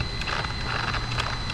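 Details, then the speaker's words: LOSI Lasernut U4 1/10 4WD brushless rock racer after its first post-refurb run; rear diff turned by hand gives irregular gritty clicks and catches, front diff fine and ring gear ruled out, rear differential binding and needing repair. "Oh yeah, boys, it's the back rear diff. So it's not the ring gear. There we go, guys. It is the rear diff. Oh yeah, that feels terrible."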